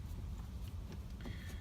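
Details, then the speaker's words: Kawasaki Mule 610, apparently hydro-locked and unable to crank, with a new genuine Kawasaki fuel pump and a slight smell of gas: a short test run gives a steady low engine rumble with no knocks or misses. The engine is running evenly again. "I'm gonna plug back in it and we are going to crank it up let it run for a minute and then we're gonna let it sit"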